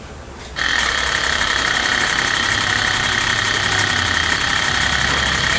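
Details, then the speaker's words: Early 2004 Ford Excursion 6.0 Powerstroke diesel, sat for a while, no start, new battery: starter turns the engine slowly, about four beats a second, never catching; suspected blown head gasket, oil overfull; slow cranking, no start. "but it's not cranking over fast enough so there's multiple questions"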